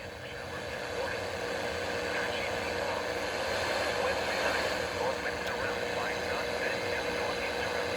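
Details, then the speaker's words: Hitachi KH-948H AM/FM/police-band radio tuned to NOAA weather band near 162 MHz indoors in a workshop: steady static hiss with faint signal barely coming through, weak weather-band reception. "There we go. It's trying. It's there, but it's kind of weak."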